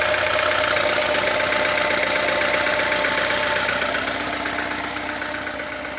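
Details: VAZ 2107 (Lada) engine at idle with a steady, even tapping about four times a second; internal engine knock of unknown origin.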